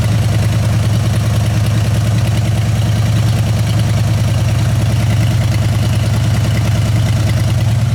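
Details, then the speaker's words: Junk truck sat for months, started without touching throttle: deep lumpy idle with uneven beat about three times a second, engine shaking; one cylinder down, possibly a rear one, suspected, not confirmed. "yeah yeah so you hear that we're gonna be we're gonna be we're gonna be we got a cylinder that's down it's looking like it might be this one in the back here"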